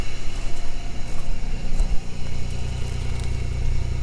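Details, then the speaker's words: 1997 Chevrolet Camaro revived from the crusher, intake refitted: steady, even low idle rumble running on all six cylinders, no misses; tachometer still reading wrong, oil pressure high, hazy exhaust; normal idle. "the tack is way off still but that sounds definitely like she's running on six"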